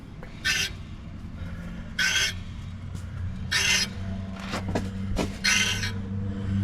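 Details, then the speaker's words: Ford 550 truck, tire off, wheel turned by hand; hissing scrape roughly every 1.5 seconds, typical brake pad rubbing on rotor once per turn, owner suspects the dust shield, not confirmed. "now you hear the typical brake pads rubbing"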